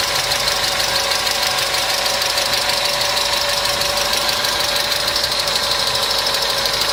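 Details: Customer's engine at idle with noisy hydraulic lifters, started after an additive was poured in; fast light even ticking about three per second over steady idle, hydraulic lifter tick.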